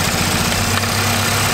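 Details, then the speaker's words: Wrecked 2018 Audi S3 8V 2.0 with front-end and engine damage, first start after crash; choppy stumbling uneven idle; broken throttle body suspected, possibly injectors or something left unplugged, cause unconfirmed; engine misfire at idle. "i'm gonna say that throttle body is the issue i'm gonna say that this because this is all broken that could be the issue or it did sound injectory kind of ish"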